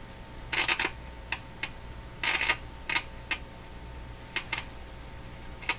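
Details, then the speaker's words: Philips Model 922 tube radio with 50C5 output tube showing positive grid bias: irregular sharp crackles and pops over a faint hum while a resistor and tube socket run hot. "what are you crackling about oh that doesn't sound good at all"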